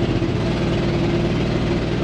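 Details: 1979 Ford F-100 351M, after carb rebuild and tune-up (plugs, wires, cap, rotor): steady but coarse, unsettled engine note with no crisp rhythm; still not running right because of a leaking intake gasket vacuum leak.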